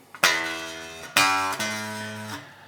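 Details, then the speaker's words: 2012 Japanese-made Fender Jazz Bass with too much bow in the neck: plucked notes ring with a thin metallic rattle over each note. Fret buzz. "so here we have a lovely Fender Jazz base a 2012 Japanese made Fender Jazz Bass fantastic guitar with some not so lovely fret buzz"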